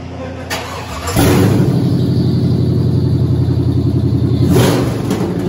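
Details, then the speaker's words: Rebuilt Cadillac Escalade LQ9 6.0 V8, ported 862 heads, 10.5:1 compression, LS6 cam, second test fire with all plug wires connected, no cooling yet: brief crank then steady, even, deep idle without knocks; initial test fire successful. "all right initial test fire was a success now i can hold on to water pump put some cooling in it"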